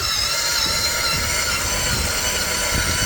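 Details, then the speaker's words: Gardena 380 LI lithium cordless reel mower: strained high motor whine driving reel and wheels, working very hard; dry sticky reel bearings loading the motor, before lubrication. "So it is working. It's driving the reel and these wheels forward, but you can hear it. It's working really hard."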